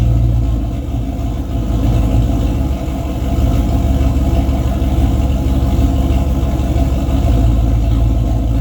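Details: Race car with 351W V8 and transbrake, transmission newly working but thought to have only about nine quarts of fluid, not yet topped off, so run gently without building boost; deep lumpy V8 rumble sags briefly as throttle comes in, then recovers, a slight stumble, cause undetermined.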